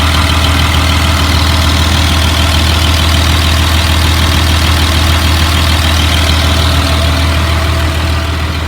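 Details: 2004 Blue Bird All American 72-passenger school bus at idle: steady, even low rumble, smooth unchanging idle with no knocks or misses; engine idling healthily, automatic transmission engages.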